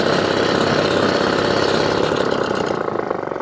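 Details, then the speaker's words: 1954 Atco kick-start mower with a Villiers Midget two-stroke, back up and running after a fuel leak repair: a crisp, even two-stroke beat that holds steady and settles smoothly, with no misses or rattles. "so there you go Echo Kickstart now back up and running"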